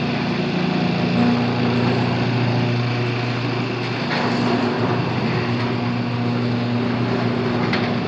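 Even low motor drone with a light steady chatter from the drive, no grinding or straining: opener running normally.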